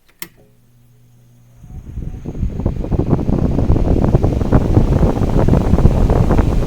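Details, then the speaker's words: Mainstays SFC-225BR1 9-inch high velocity fan after bearings oiled, blade balanced and defective armature replaced: quiet start, then a steady rush of air builds and holds even with no knocking or rubbing; runs smooth and healthy. "just to give you an idea how much air this thing puts out I'm gonna give you some wind noise here just give you an idea how powerful this thing is"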